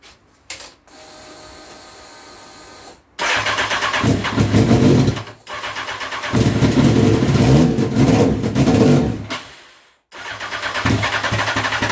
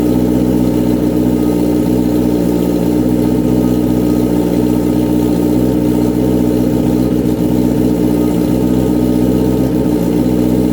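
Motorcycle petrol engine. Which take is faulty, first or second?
first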